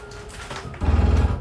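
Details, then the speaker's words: 2023 Jayco Jay Flight 265RLS travel trailer slide-out: light motor whir, then a loud rapid low grinding chatter for about half a second as the slide stops; normal end-of-travel noise of the motor reaching its limit. "uh going along with this before it fully extends it is going to sound kind of scary it's just you know something can gear grinding noise but it's completely normal all of this is just the motor reaching its limit so you'll know when you hear it"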